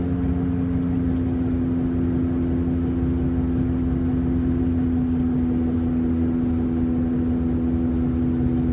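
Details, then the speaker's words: Saturn Ion at steady highway speed: a constant low drone and rubbing over road noise that tracks road speed and drops in pitch when slower; not the engine, owner suspects bearings. "you can hear the fact that i'm going just five miles an hour slower than i originally was my uh the noise is getting lower pitched so it's not the engine i don't know what it is it's gotta be something with like the bearings"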